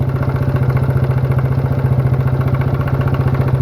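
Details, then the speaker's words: Worn, smoking mini quad engine: fast even thump at idle, about 220 a minute, with light tapping underneath; faint knock of unknown cause, probably not rod knock, oil level to be checked. "it's got an interesting sound to it almost sounds like it's knocking a little bit yeah you have a sound that is a weird sound I don't know what that could"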